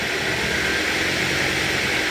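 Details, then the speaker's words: 2008 Ford Focus 2.0 16V Duratec automatic, after the repair: even steady engine hum in gear with no knock or tapping, gear engages without noise; normal running in gear. "e gata ali o macho ó engatou e não faz mais barulho"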